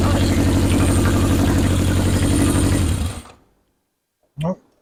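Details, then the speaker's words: 1977 Honda CB750 chopper during rewiring, with a charged battery and no starter solenoid installed yet. The starter churns evenly, about four beats a second, for three seconds without firing because the fuel was left turned off. "Might have helped if I turned the fuel on."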